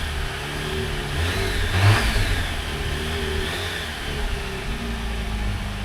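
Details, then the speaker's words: 2019 Jeep Wrangler Unlimited Rubicon, about 54,000 miles, started at auction: brief revving with an uneven, gurgling rough low rumble, unhealthy for its mileage; cause not determined. "a little gurgly for 50,000 miles this thing sounds like a turd box"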